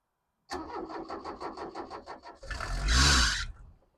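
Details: 1991 Vauxhall Astra van sitting in a field for years, cranked on a freshly charged battery with the air box refitted; even starter cranking at about four or five beats a second, then a brief surge that fades; diesel cranks but won't catch.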